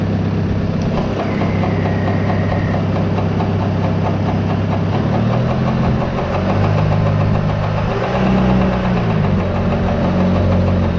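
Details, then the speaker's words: CropCare sprayer PTO drive pulley, bent after being pressed and heated off during bearing and seal replacement, rubs its bracket with tractor idling; rapid regular knocking rub, as suspected. "it's just a little bit out of whack right now so it may end up hitting just a little bit on that bracket"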